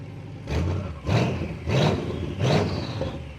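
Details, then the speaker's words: BMW 7 Series with N63 V8, new downpipe installed but not yet joined to the mufflers: three throttle blips, each a loud raw bark that fades quickly. Loud because the exhaust is open with the downpipe disconnected. "ეხლა ქვევით ფაიფი რომ ჩადის არიყო არ არის შეერთებული და მაგიტომ აქვს ეხლა ესეთი დიდი ხმა"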